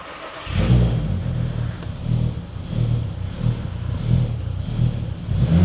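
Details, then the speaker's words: VW Golf R32, about 20 years old, first start after timing chain replacement on jump pack: catches and settles into a smooth, even low hum like a sewing machine, steady pulses, no knocks or ticks; normal idle. "Tell you what, that sounds all right. It's like a little singer sewing machine. That sounds perfect, that does. It does sound perfect."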